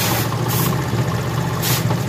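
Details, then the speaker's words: Honda CD70 motorcycle carburetor mixture adjustment: single-cylinder idle thumps low and slightly uneven, sagging as mixture screw is tightened leaning it out; opening it raises idle again. "अब ये आपको नज़र आ रही है गाड़ी की जो स्लो है वो कम हो रही है।"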